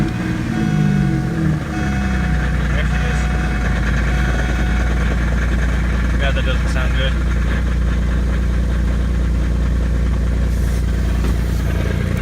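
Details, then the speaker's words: Cold start of a V6 automatic Camaro parked about a year: rough idle with a heavy, dull knock in the bottom end that began shortly after a transmission replacement. Suspected rod knock, not confirmed. "you can see white youth part it's got a real bad knock in the bottom end but it's just not worth it to fix it"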